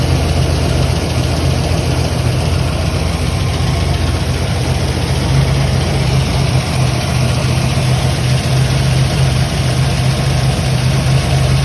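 Rough, low idle with an uneven, stumbling pulse and no steady rhythm, the kind of shake a cylinder misfire gives. Cause suspected, not confirmed.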